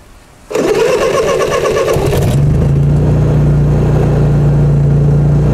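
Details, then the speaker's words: Honda EU30IS inverter generator at about 150 hours, started slightly warm with a little choke: short crank, then a stable even hum with occasional hunting, possibly from a not fully clean carburetor. "Bueno, se ve bastante estable. Hay algún cabeceo cada tanto, pero eso puede deberse a que no está del todo limpio el carburador."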